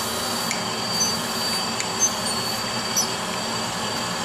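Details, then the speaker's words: Brown and Sharpe 510 Micromaster surface grinder with Walker 5x10 permanent magnetic chuck grinding steel; smooth, even high-pitched spindle hiss with light ticks, no rumble, knock or growl, bearings healthy, normal spindle running. "so i'm gonna go ahead and do a quick grind with this show you the finish of the part and you can hear the spindle bearings so"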